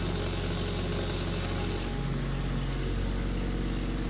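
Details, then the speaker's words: Vintage Kenmore fan after repair with newly wired rotary switch: steady low hum, even unbroken drone, no scraping or knocking; fan gets up to speed and runs smoothly. "Hey, it gets up to speed and it gets quiet."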